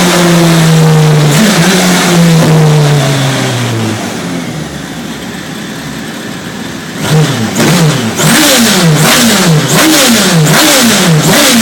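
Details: Radical SR3 1500 on a dyno, revving high under load, falls off, then surges up and down about twice a second, cutting in and out: an odd engine misfire under load.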